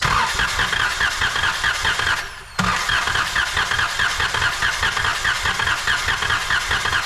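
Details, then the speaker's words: 2012 Chrysler Town and Country van with idle shake and cylinder 6 misfire, during compression test: starter cranks with irregular limping beat, about ninety-five pulses a minute; one cylinder reads only 80 psi against 130, pointing to a valve, head or piston problem. "As you can see, 80 pounds is all we're gonna get. Oh man, that sucks. Well, we have our answer."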